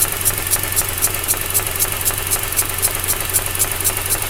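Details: 2004 Mazda RX8 rotary, 110,000 km: very rough idle with power loss and a sharp, airy suction pulse about four per second (240/min, one third of idle), matching SSV ticking, seemingly from behind upper intake manifold; plugs, wires, coils changed; cause unconfirmed.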